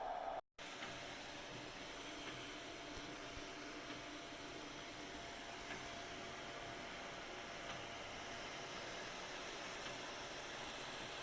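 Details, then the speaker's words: Anycubic i3 Mega after silent stepper driver and quieter fan mod: soft steady fan whoosh with faint hum, no stepper whine or clatter, only power supply fan audible; printer now runs quietly. "pretty much the only families that you hear is the power supply fan so win-win it's now a super quiet printer"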